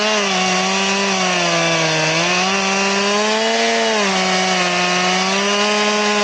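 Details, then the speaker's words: Chainsaw with chain sharpened to 10 degrees for crosscutting, ripping a round: held at high revs, tone sagging under load as it bogs; cuts slowly as if dull. "It's almost like it's a dull chain is what it acts like."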